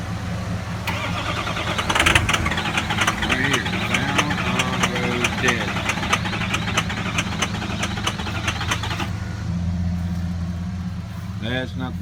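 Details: Ford 6.0L Power Stroke diesel with injector 7 nearly dead and injector 3 failing: long, steady cranking with uneven firing attempts before it finally catches and barely runs until warmed up; hard starting from failing injectors.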